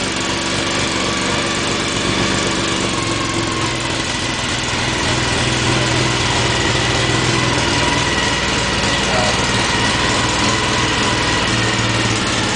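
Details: Tuned Mini 1380 at first startup after a complete rebuild: crisp, even four-cylinder beat that climbs cleanly in pitch as revs rise and holds steady, no knocks or rattles. Healthy idle and revving.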